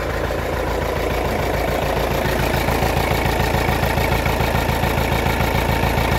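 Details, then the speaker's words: Kia Carnival diesel that struggles to start, stalls without throttle, with ABS light and dead RPM/speed gauges: lumpy, uneven idle beat around two per second that never settles; rough unstable idle, cause unknown, turbo seems okay. "Suaranya pincang, nggak stabil."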